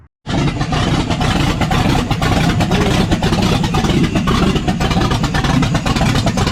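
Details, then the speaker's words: Ford F150 with newly built 347 stroker V8 on its first start, no mid pipes fitted; loud, deep, even open-exhaust roar with steady firing and no knocks or misses; healthy but noisy. "There it is, boys. She's noisy. Still got a long way to go. No mid pipes, no drive shafts. But sounds healthy."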